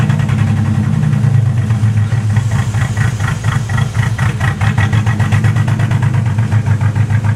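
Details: 1986 Cadillac Cimarron 2.8L V6, arrived by tow, before its major tune-up: a lumpy, uneven idle with a stumbling beat and irregular puffs over a low drone. Misfire because newly replaced plug wires go to the wrong distributor cap terminals.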